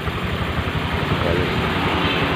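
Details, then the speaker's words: Honda Vario 125 scooter CVT after replacing two bearings, including the pulley bearing: short steady run with even low hum, no rattle or grinding; previously rough, noisy CVT now smooth. "kita coba hidup begini. Sudah enggak berisik ya, sudah berisik, sudah halus"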